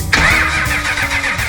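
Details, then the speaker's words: 6.5L diesel with Stanadyne DB2833-6284 injection pump and Bosch marine injectors: fast, even starter cranking that never fires, about 45 minutes of cranking, probably longer because the pump was not pre-filled with diesel. "Now, we would crank like this for a while, and candidly, in retrospect, I wish I had opened up the top of the injection pump and pre-filled it with diesel."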